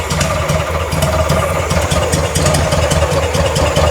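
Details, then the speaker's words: Circa-1960s VW-based Ford Model T kit car after carburetor replacement, warming up, idle fuel screw fully in: lumpy, loping uneven idle with irregular chuffing; super rich, doesn't like throttle input. "Well, that's not good. Doesn't like throttle input."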